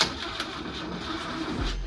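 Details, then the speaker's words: Renault 4L during testing with a known ignition problem; the starter drags the engine over slowly and laboriously, the fuel pump is heard switching on, and there is no firing; crank no start with no ignition spark. "On entend la pompe essence qui se déclenche. On est en train de faire tous les tests. On sait que c'est un problème d'allumage."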